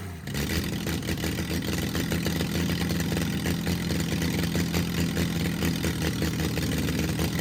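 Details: Freshly rebuilt Triumph TR6 six, head shaved 60 thou (about 8.4–8.5:1 compression), first start cold on choke with carbs unadjusted: steady fast idle with slightly uneven firing, no clear knock; rough cold running at raised idle.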